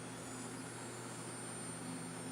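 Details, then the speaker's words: Melodysusie Scamander cordless rechargeable nail drill (30,000 RPM) running at fairly high speed: very quiet, steady high-pitched whir with even note, no rattle or wobble; strong torque; normal high-speed running. "so it's very quiet okay another benefit it's very quiet i have to say"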